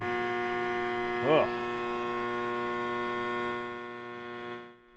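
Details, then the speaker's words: 1989 Ford F-150, after frame replacement, gas tank refitted, key on: steady electric whir for about four seconds, then winds down and stops; fuel pump priming normally. "I heard the pump whirl. Let's turn the key off."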